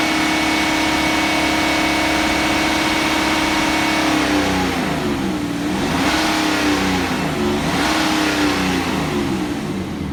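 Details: BMW N57D30 diesel at 325,000 km held at raised revs: uneven tapping under the note, nearly four per second, sounding like a misfire; owner unsure, may be normal for this engine just louder.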